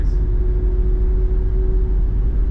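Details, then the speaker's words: Rear 12-bolt axle with 9.5 ring gear (new aluminum carrier) swapped under a Chevrolet: steady mid-pitched whine over road rumble at about 50–55 mph, recorded over the rear axle; noisiest on drive side, fades off throttle — gear whine, not side bearings. "But it goes away. Only while I'm in it. That's not side bearings then. That's gear whine. Like on the drive side's really noisy."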